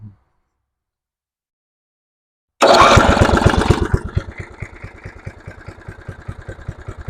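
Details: Simplicity rear-engine lawnmower, sitting 32 years, restarted after its plug fouled on old two-stroke mix and oil was added: silence, then the small engine catches sharply and settles into an even chug of about 3.5 beats a second. Normal start and idle.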